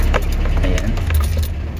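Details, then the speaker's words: 2001 Nissan pickup after replacing the fuel pump relay, which was the cause of the no-start with no fuel reaching the carburettor: on restart the engine catches and idles evenly with no stumble, with keys rattling over it. "Ayan ayos na Ayos na po guys yung ating ginawang sasakyan"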